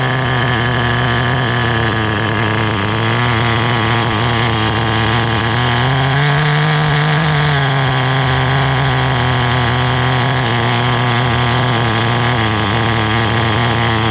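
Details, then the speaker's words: Restored vintage Team Associated TC3 nitro engine: a high nitro scream climbs smoothly with revs and settles back evenly. Acceleration is normal; the motor is a little warm afterward. "As I accelerate, it seems to be doing okay."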